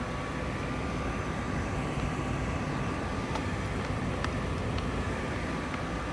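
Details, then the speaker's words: New Trane gas furnace burner firing, jumpered out to watch for a long cycle without hitting high limit; 6.74 incoming gas pressure, 3.48 manifold; steady even roar with faint constant hum, no surging, popping or rumble: normal burner operation. "Can't really see it burning, but we can hear it. A little different on the right discharge furnace, but they work well."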